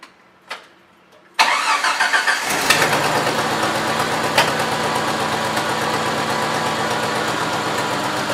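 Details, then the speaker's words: Jeep Wrangler YJ (1986-1995) just started and idling: rough chuffing, puff-like ticking; exhaust leak located at the front, at the back side of the exhaust manifold, likely manifold gasket. "so fairly often you'll be able to kind of just hear it and know that the exhaust leak is coming from somewhere in the front for us we can tell that it's kind of coming from the manifold on the backside here"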